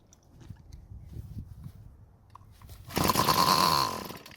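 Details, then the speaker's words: Bolens curbside two-stroke string trimmer, fuel poured into the carburetor throat with the cover off: bursts into a high buzz for about a second, then fades and dies; fuel starvation at the carburetor. "so this time i was able to get enough fuel into the engine through the carburetor and it ran for a lot longer"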